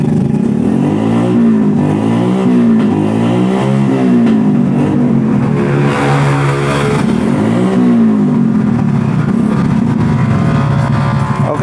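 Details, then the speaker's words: Yamaha Jupiter MX 135 that smokes white from the exhaust, revved with a coarse, harsh mechanical edge from the engine; the dipstick showed no oil, cause unconfirmed. "ini suaranya agak kasar di bagian mesinnya"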